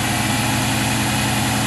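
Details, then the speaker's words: LS1 turbo one-tonner on E85, revived after sitting for months, with a new Walbro 525 fuel pump replacing a worn 460 and cleaned injectors. Fuel pressure holds near 50 psi and the engine is warming up; smooth, steady idle that has calmed right down and runs properly. "it's just calmed right down it's definitely running properly now which is good good fuel pressure helps that's for sure"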